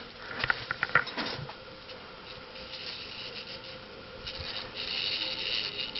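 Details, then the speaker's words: Mid-1980s Nutone Slimline 52" ceiling fan with cast-aluminum spinner motor, fitted with shorter, lighter 48" Proline metal blades, running on low: a soft airy hiss with light ticks at start; owner suspects bearing noise from debris in the bearings. "can hear it hissing that's good now 52 inch slim lines are known to be underpowered"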